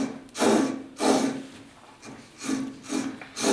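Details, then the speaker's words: Old Rockwell table saw after years of sitting, belt removed and arbor turned by hand: gritty rasping swelling about once a second; worn arbor bearing, not yet clunking but could seize; motor sounds okay. "you can tell that there's a bearing going probably run that for a little while it's not clunking but it would seize up just when you didn't want it to"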